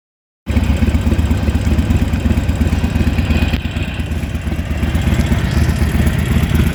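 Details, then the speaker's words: Harley-Davidson 883 Evolution V-twin at idle: loping beat with light clicking in step, a clack heard on some Harleys, from play at the rocker shaft pin; harmless. "Mostrar para vocês uma curiosidade sobre é algumas Harley que fazem um barulho de cleque cleque, né? Não são todas."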